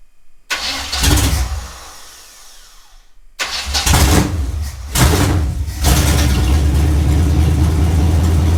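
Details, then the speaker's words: Camaro Z28, 355 V8/TH350, open headers, first start after sitting all winter: cranks, catches, stumbles out twice, then runs rough and lumpy on throttle; little fuel reaching filter, runs only on fuel poured into carburetor, fuel pump suspected weak. "all right hold on i look like we're getting much fuel up here in the filter just keeps running off of whatever we're pouring down"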